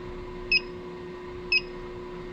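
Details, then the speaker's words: Electronic combustible gas leak detector checking boiler gas connections: high clean chirp about once a second over a steady low hum, no lights; the slow resting tick means no leak detected. "the highest light and the most noise be a big leak right now you he just little beep with no lights everything's good"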